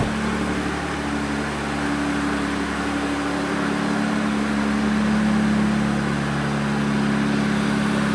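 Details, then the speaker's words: 2020 Jeep Gladiator Mojave 3.6 with Edelbrock E-Force supercharger, cold idle after replacing serpentine belt, hydraulic tensioner and idler pulleys: smooth even hum with faint constant blower-drive whine, no squeal or chirp; running fine. "you can see, she starts. She seems to be running fine. Still sounds pretty good."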